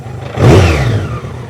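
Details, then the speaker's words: BMW K100 motorcycle that had sat for a while, restarted with choke off after 15 minutes: a short rev carries a loose rattling clatter in the engine. Owner suspects low oil or just long storage; idle improved afterwards. Cause not confirmed. "So, let's give it a bit of a rev and see what it sounds like. Does sound quite rattly in the engine."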